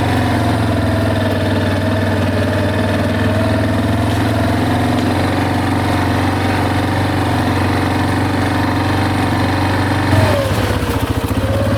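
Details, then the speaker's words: Big Bear 400 ATV just after a broken OEM muffler baffle was replaced with an aftermarket pipe, choke used at start: low even idle with a soft exhaust note and a short blip near the end; smooth, quiet and healthy. "Come on. Oh my gosh, this thing's so quiet."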